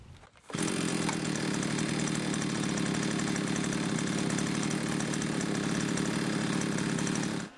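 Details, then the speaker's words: Limex Expert two-stroke string trimmer after carburetor cleaning and reassembly: it starts at once and holds a steady, even high buzz without stumbling. It runs much better after the repair. "nettoyé le carburateur de la débroussailleuse, il a commencé à beaucoup mieux fonctionner."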